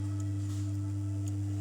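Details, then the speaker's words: Home theater subwoofer amplifier: a steady low hum near 100 Hz with a fainter tone near 300 Hz. Probing the IC's pin 1 input gives no response, so the amplifier IC is faulty and must be replaced; the capacitor is not the cause. "Sound आना चाहिए sound नहीं आ रहा है मतलब यह IC ही खराब है"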